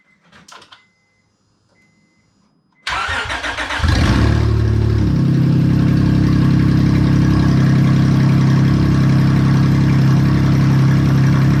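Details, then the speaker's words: 2006 Honda Accord 3.0L V6 started after an oil pan replacement, exhaust disconnected at the header while awaiting gaskets. Crank and catch, then a loud, raw, even idle with a harsh open-header bark. Checking oil pressure and leaks. "and in case you ever wondered what an open header 3.0 v6 sounds like i guess we're about to find out"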